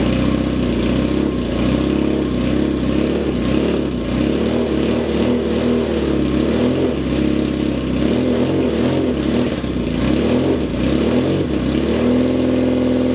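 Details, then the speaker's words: 1978 Kawasaki KZ650 C four-cylinder, first start after at least 5 years unrun, on a temporary fuel supply with vacuum pipe blocked: loud, slightly lumpy cold idle with throttle blips, settling as it warms; runs cleanly apart from noisy exhaust. "i'll drop this off while i get some warmth in the engine well that's a bit of a result"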